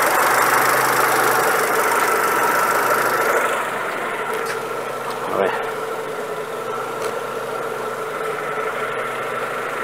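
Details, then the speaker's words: Warm Renault Megane Classic 1.6 petrol engine: idle a little low with slight hunting and tachometer needle movement, no knocking; low unstable idle, cause not yet confirmed. "a vez yo lo que he notado el ralentí un poquito bajo y se aprecia ánimo camps en bajo también se ha notado un poquito de del movimiento de la aguja de tipeo"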